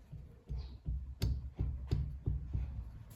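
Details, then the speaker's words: Triumph Spitfire 1500 rear hub rocked by hand. Dull low clunks show definite play. The cause is not confirmed. "So hang on. There's definite play there. You hear it?"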